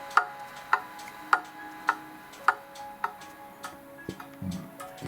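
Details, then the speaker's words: Pendulum clock movement set in beat, heard through a cheap sound amplifier clipped to the clock plate: crisp ticks evenly spaced about every half second, tick and tock matching in time and weight; in beat. "You'll remember how quiet this movement runs when it's in beat."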